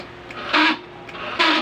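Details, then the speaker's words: Wave CX 110 motorcycle, ignition on, push start pressed: two sharp relay clicks with no starter cranking; weak battery suspected, also a sound noted like something rubbing in the starter; the engine still starts on the kick start. "Pakinggan niyo mga LS mga idol so lumalag tik na lang yung relay dahil mahina na ang kanyang battery"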